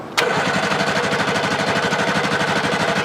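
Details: Abandoned Hustler 6x6 amphibious ATV after carburetor work, running on fuel fed from a car: engine catches instantly and holds a steady, even chug of about three beats a second with no misses; normal start and idle.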